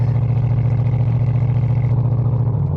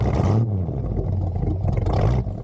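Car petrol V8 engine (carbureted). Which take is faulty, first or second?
first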